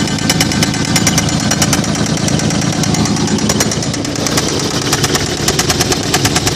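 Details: 1995 Toyota 4Runner 3.0 engine running with heavy, rapid metallic knocking about one and a half per second, a deep bottom-end knock; suspected connecting rod loose from the crankshaft.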